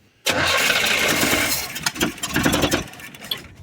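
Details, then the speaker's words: Truck engine after spark plug wires installed, firing order checked and initial timing set: fires, then stumbles and surges with sputtering bursts before fading; told not to give more gas as it's wanting to flood out (suspected). Rough running after start. "Don't give it any more gas. It's wanting to flood out."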